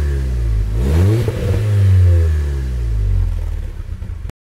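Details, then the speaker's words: Audi S3 8P 2.0 TFSI after repair (oil pickup pipe cleared, fresh oil), warm after about 25 minutes idling: a couple of smooth rev rises and falls, clean and even with no rattle or knock; healthy. "so as you saw their pickup pipes all done cars running fine sounds very smooth in the video"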